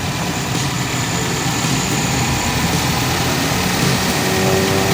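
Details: 2015 Nissan Rogue SV AWD, 4-cylinder, 113k miles, no check engine light, idling with hood open; steady even idle hum with smooth low rumble, no knocks or ticks; healthy normal idle.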